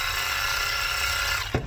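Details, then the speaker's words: Matco Infinium MCL1238R 3/8 12V electric ratchet, over 10 years old: motor whirs with thin, strained tone for 1.5 seconds then clunks to a stop; worn RS550 motor lacking power, sometimes smokes, to be replaced. "it doesn't have a lot of power it smokes sometimes"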